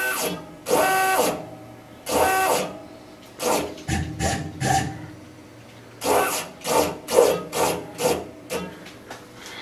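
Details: Tormach PCNC 1100 Series 2 mill, X-axis stepper powered with its coupler disconnected, jogging Y then X: short buzzy, gritty, uneven stepping bursts instead of smooth whir; failing stepper motor driver.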